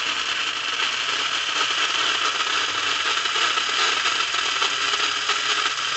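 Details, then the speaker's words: Lionel #1110 2-4-2 Scout locomotive with plastic-case motor, running on DC at high speed: busy high-pitched whirring rattle with gritty crackle; gears sound dry and significant arcing inside the motor, most likely from dirty brushes or commutator face. "but now what I'm hearing is just the sound of the motor and gears themselves and so one it sounds like my gears are a little dry and secondly I'm hearing a sound that tells me that there's significant arcing going on inside the motor"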